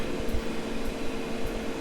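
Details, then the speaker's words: Masterforce 20V 60,000 BTU propane heater after about five minutes running, propane tank shut off: a steady, even fan whoosh with a constant hum and no burner roar, as the blower runs on to clear excess heat. Normal run-on. "fuel cut off you're supposed to let it run for a couple minutes to let that excess heat get out"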